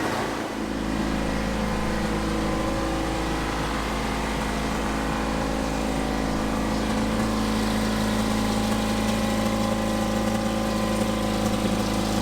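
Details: 1970s Insley H800 excavator diesel, sitting 25+ years, first start after fitting new injectors and injector lines and without ether: fires and settles into a steady, even low drone with no misfire or knock; normal running.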